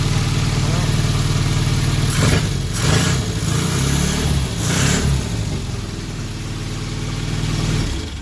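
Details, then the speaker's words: Classic Mini van converted to an SPI engine, first start after electrical work: freshly started four-cylinder idles with an uneven lumpy beat and occasional stumbles; slight misfire suspected. "wow amazing that sounds to me like it's got a bit of a misfire but um anyway that's pretty good"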